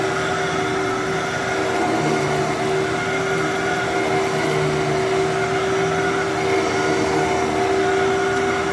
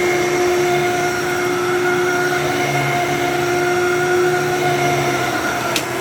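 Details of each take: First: Fantom Thunder vacuum that was expected to run poorly: steady, even motor hum with clean constant pitch, no grinding or surging; normal vacuum motor run. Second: Older 12-amp Fantom Thunder vacuum, dusty and needing a filter: steady motor whine with a fluttering, slightly uneven hum underneath. Something may be caught in the brush roll, unconfirmed. Abnormal brush roll noise.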